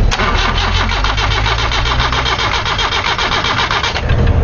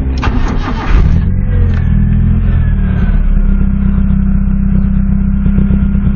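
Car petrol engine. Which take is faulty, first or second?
first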